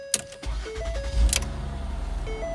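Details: 2011 Mercury Mariner after ignition switch module replacement for a no-crank, no-start: chime tones, then a brief crank, and the engine catches and settles into a steady low idle. Normal start, repair confirmed.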